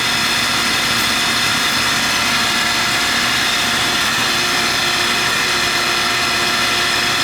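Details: Residential AC condenser, one of seven in a house, running after a small freon top-up brought the charge to target: steady fan rush, even compressor hum, no rattles or surging; normal running.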